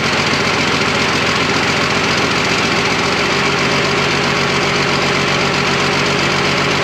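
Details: Freshly rebuilt twin-turbo Fummins diesel on first start, injection pump timing just set, no coolant: loud, steady clatter at an even idle with a rough but consistent beat, no odd knocks; sounds super healthy.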